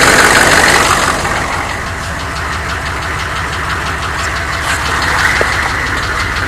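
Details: 1993 Chevy dually 6.5L turbo diesel 4x4, cold start without block heater, smoky, then revved: steady sharp knock about four per second over rough clatter at idle; some engine knock, cause unclear.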